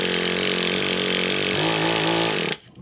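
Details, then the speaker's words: Traxxas Revo 3.3 nitro with the high-speed needle set too rich: high buzzing wide-open scream bogs, wavers lower, then cuts out abruptly. Rich top end, stalling. "Well, Prime example of what can happen when you're too rich on your high-speed needle."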